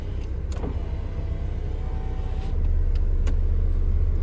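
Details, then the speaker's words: 2001 Mini R50 after replacing the BC1 body control module and reseating a connector: steady low whirring motor hum building as glass travels, smooth and unbroken; electric window now working normally. "okay the window's working"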